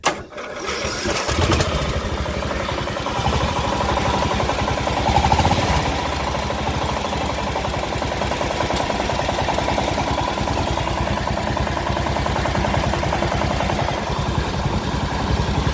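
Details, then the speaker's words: Craftsman LT1000 riding mower's 17.5 hp Briggs OHV engine, about to be swapped out, runs with a heavy, repeated knocking hammering through each revolution; really bad rod knock, though it otherwise runs fine. "Okay, well, I couldn't shut it off. I had already ran my wires, but you could hear that. That was a really bad rod knock, knock, knock, knock, knock, knock, knock. So that's what rod knock sounds like."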